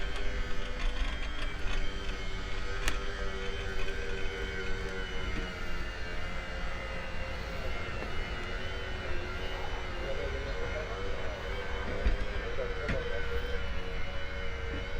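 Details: Ewiks auto movers on Infanta Enkulu 3 caravan driven by remote; steady electric motor hum with faint gear whine, smooth with no strain or grinding; normal operation.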